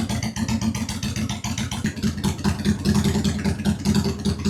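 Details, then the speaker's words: 2001 Honda Shadow VT750 after carburetor service, airbox still off: lumpy but steady V-twin idle beat with both cylinders firing and no misses; the front cylinder is judged slightly richer. Normal running on both cylinders. "That sounds like both. Yeah, the rear is running a little richer. Or no, the front is running richer."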